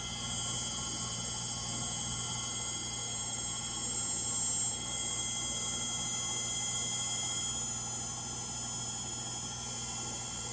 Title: Frigidaire Gallery front load washer model GLTF1670AS1 final spin. Bad Motor bearings.